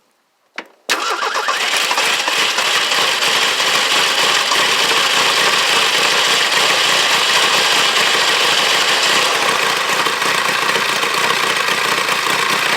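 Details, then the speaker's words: 1983 Ford Ranger cold start in snow, run with air cleaner removed: quick crank and immediate catch, then loud steady idle with slightly rough edge; owner says it always starts since the air cleaner came off. "no my starts right up i never have any issues out of it not ever starting except for when i first got it"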